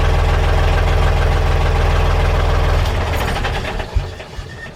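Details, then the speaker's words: Narrowboat diesel engine fires after the faulty electric fuel pump was replaced, settling into a steady, even low thump near 220 beats a minute with no knocks or misses; normal start and idle before warming oil for service. "he turned the ignition on and the engine fired into life and what a lovely sound to hear it"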